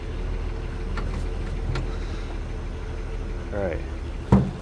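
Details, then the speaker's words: 1941 Chevy on rebuilt Carter W-1 carburetor, in neutral; low steady idle running on its own with one sharp pop, possibly no accelerator pump: normal idle. "neutral. Actually, sounds pretty good. Popped a little bit. Well, I think it's running on its own at least"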